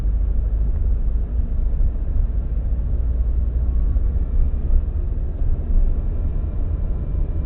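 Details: 2002-03 Subaru WRX EJ205, warmed up, idles low and lumpy with an uneven beat and no ticking: cylinder 3 misfire, not fixed by spark plug, engine shakes; a cracked valve is suspected.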